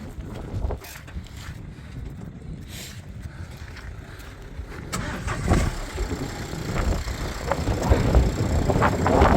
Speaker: Так зараз відкриваємо капот двигун сухий чисто працює Ніяких нарікань немає